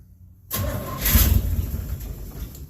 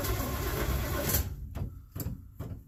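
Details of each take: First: 1967 Chevelle after rewiring, bad swap-meet ignition coil replaced with previous working coil: brief quiet, quick crank, engine catches and settles into rough idle; starts fine now. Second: 1967 Chevelle after rewiring with fuses: starter cranks in long bursts with even compression pulses but engine never catches; suspected no spark, gas smell; ignition coil found bad.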